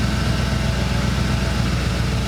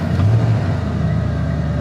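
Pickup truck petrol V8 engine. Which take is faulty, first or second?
second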